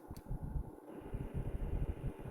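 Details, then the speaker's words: 1998 Toyota Camry, microphone in the cabin: a faint, uneven, low rumbling whir under the fan only when the AC is switched on; the AC still cools; owner suspects low refrigerant; cause unconfirmed. "Off. Yeah, so something's going on there with the AC. Um Now, Google says that it's because the refrigerant probably needs to be refilled."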